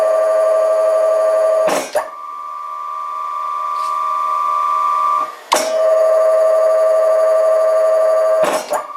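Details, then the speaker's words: Dahlander two-speed lathe motor switching between 4-pole and 8-pole configurations: strong steady hum between short switching thumps, running in the slower 8-pole setting; normal running. "lets also quickly listen to this 2 speed motor it switches between a 4 pole and a 8 pole configuration."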